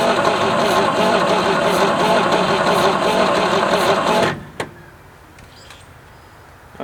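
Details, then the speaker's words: 1967 GMC C20 pickup, 305 big block V6 sitting at least seven years on a farm; coil energized, starter cranks steadily at about three beats a second but engine never catches, then goes quiet; crank no start, no spark. "no spark awesome sauce looks like we need to do some digging and figure out why we got no spark cuz it sure isn't sparking"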